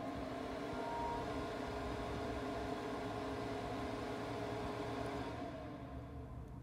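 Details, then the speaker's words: Traeger Pro 780 pellet grill, new 2019 model, first ignition with auger feeding: quiet steady fan hum kicking on and off over a soft motor drone, no rattles; normal ignition, noticeably quieter than other Traeger models. "can hear it kicking on and off. That's the ignition process. I imagine, especially for the initial time, that's the fan kicking on to give it enough air to get ignited. It's noticeably quieter than other Traeger models."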